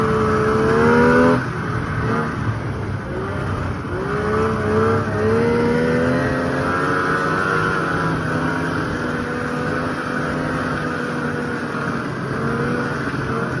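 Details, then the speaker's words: 1995 Polaris RXL 650 triple two-stroke sled, sat outside about 8 years and was previously locked up, now revived on a borrowed battery: steady buzzing idle with clean throttle blips, no misfire or knock; runs normally, though the track needs grease. "She's a runner now. It just seems like it needs a little grease in the track because, well, it's been sitting for 8 years."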